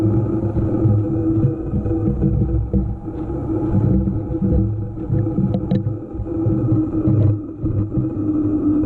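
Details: EVO GP PRO: steady low hum at a fixed mid-pitch tone that swells and fades every couple of seconds while running; cause of the humming noise unclear.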